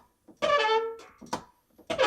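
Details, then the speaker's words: Whirlpool dishwasher door gives loud, horn-like squeaks from dry hinge pivots rubbing metal on metal as it swings open and closed; squeaking door hinge. "you know how you do you all go in to get your cup of coffee out of here and you get this squeaky door"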